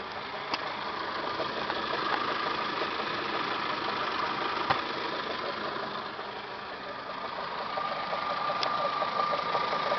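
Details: Toyota Camry 5S-FE at idle, full timing belt job done Feb 2011: faint intermittent high whine and light ticking from the timing belt/water pump area at the front, started a few days ago; source unidentified.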